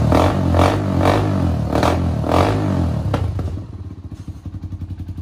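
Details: 1991 Honda TRX250X quad barn find, timed, carburetor refitted, fresh fuel, exhaust leak mostly fixed: single-cylinder revs in quick even bursts, then drops to a steady thumping idle about twice a second; runs clean and healthy.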